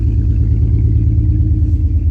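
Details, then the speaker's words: BMW E46 drift build started after a detail wash, owner suspecting wet plugs or water in the intake: low idle with an uneven, stumbling exhaust beat as a cylinder drops out intermittently; a misfire, left idling to dry out. "it kind of already sounds like it's having a bit of a misfire it's fighting"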